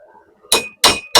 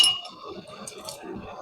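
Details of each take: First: Three sharp hammer blows about a third of a second apart, each with a clean high anvil ring: the heated part now sits flat and no longer jumps, the ping showing it's done. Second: Metal fabrication for seat mounts on a 5-ton crew cab build: hammer blows ring high and clangy as the piece chatters and bounces on the anvil, not lying flat. The fix is to heat it and hammer until it gives a ping.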